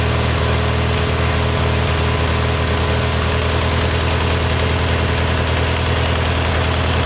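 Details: Kohler Magnum 20, after a carburetor rebuild and mixture adjustment. Steady low single-cylinder thump at a settled idle, even and unhurried, with a fairly clean note. Normal running.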